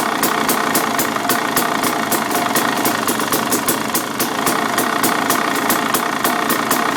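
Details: 2013 KTM 300 EXC at idle: steady metallic rattle, several quick knocks per second, softening slightly but persisting when clutch lever pulled; owner suspects clutch, told it may be normal, unconfirmed.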